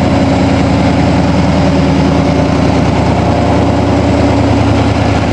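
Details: 1987 Toyota Supra MKIII with 350 Chevrolet Vortec V8 and 700R4, restarted after fixing firing order, timing, distributor cap and valve lash; loud, steady V8 idle with even rumble, open loose exhaust adding volume, no misses or knocks; normal idle.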